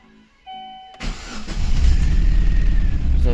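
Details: Chevrolet Aveo 1.5 8-valve Opel engine, rebuilt two years earlier, just started: cranks, catches, then uneven stumbling beat, one cylinder misfiring with no check light; head gasket failure, coolant in cylinder, sludge in coolant.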